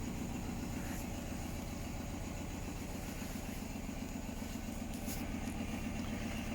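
Steady low thumping at roughly four beats a second through the spin, with a rough rumble underneath: the drum is spinning badly out of balance.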